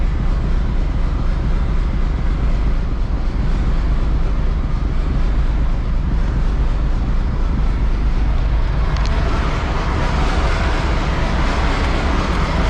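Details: Peterbilt diesel truck that needs ether to start, cool day, in the shop: deep heavy diesel rumble running steadily without stumbling after ether-assisted cold start; normal running.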